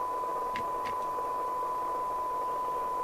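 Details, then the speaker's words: LCL Communicators NI440DX CB27/81 UK FM CB radio on the bench during service, receive test with 0.3 µV from the signal generator: steady test tone buried in heavy hiss, sounding rough before alignment; poor receiver sensitivity from misalignment. "so let's look at the cyanide meter and then we'll adjust till we get 12 db it doesn't sound right i will tell you that"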